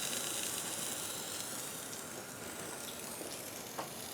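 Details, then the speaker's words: Grindmaster two-group espresso machine under rebuild: a steady sharp hiss with faint crackle as steam leaks from a line fitting, which needs repair. "disconnect that and make sure it's not got a plug in it and then that one straight ahead is leaking steam so that needs to be looked at"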